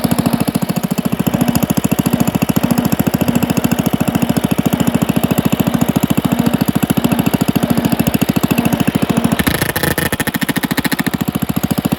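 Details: Pond lever-steer tractor, single-cylinder engine with new Champion D16 spark plug and borrowed starter, driving: even thumping about three and a half beats a second with metallic rattle; pressure plate fingers pivot out with clutch in, hitting the bell housing.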